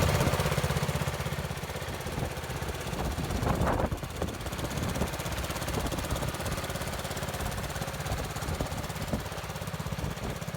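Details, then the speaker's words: 1970 Bolens 1253 garden tractor single-cylinder, warmed up, first run in years: chugging under load, revs flare about four seconds in and race up off load; occasional blue smoke; governor suspected, valves possibly for smoking. "on occasion it did puff out a bit of smoke and when you took the load off it uh it did rev up quite a lot which that could be governor problem"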